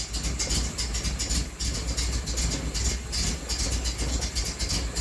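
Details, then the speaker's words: 1980 Triumph TR7 on first start attempt, car up on a jack: engine catches but runs roughly with lumpy, irregular pulses instead of a steady idle; the crew wonders if it runs weird because it sits at an angle. "Well, I'm also wondering if it's not running weird because we're at an angle."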